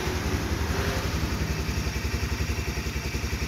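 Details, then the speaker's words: Honda CBR 150 (2010), 18,000 km, all-original engine with factory seals and original carburettor: the single cylinder idles steadily at about 220 pulses a minute, no ticking or knocking; smooth, healthy idle. "ya ini semua benar-benar masih original mesin dengerin aja ya halusnya kayak motor masih baru"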